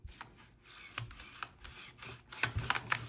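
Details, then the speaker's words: SIG Rattler Canebrake charging handle, freshly lubed: short dry metal-on-metal scrapes and uneven clicks as it is worked, grinding and hanging up around 80% of travel; cause unknown. "you can only hear metal scratching on that so um not really sure what's going on there but it's I think that this could be part of the problem where it's like hanging up a little bit around the 80% Mark"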